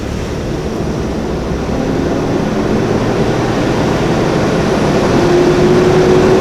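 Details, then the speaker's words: 1992 Toyota 4Runner, 3.0 with five-speed: a deep whooshing roar rising with engine speed while driving, like a garbage truck above about 3000 rpm. The thermal fan clutch has locked up with a bad, wobbly bearing, so the radiator fan spins constantly. "but once you get up to around 3000 rpm that's where it starts sounding like you know a trash truck is driving around"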